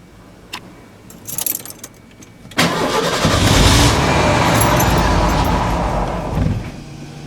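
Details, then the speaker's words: 1991 Ford F-150 XLT Lariat, five-speed overdrive, on an ~85°F day; a few quiet clicks, then it catches at once and settles into a smooth, even idle. Normal start and idle. "see it still idle perfectly"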